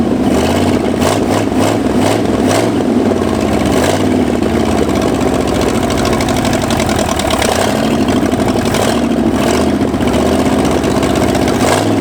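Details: Abandoned Ford F-250 V8, first start in 26 years: it surges and stumbles with uneven firing and stays running only on repeated throttle pumping or high rpm, won't idle; suspected not firing on all cylinders.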